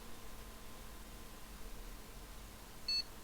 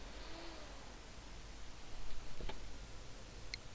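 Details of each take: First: Gigabyte GA-H81M-DS2 motherboard with a 4th-generation i5, which earlier powered on and off with a click and no POST. One short, clean high beep in a quiet room: normal POST, and the board now boots. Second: Gigabyte GA-H81M-DS2 motherboard with 4th-gen i5, stuck in a power on-off cycle with no POST: quiet, then one sharp click as it cuts power, no startup beep.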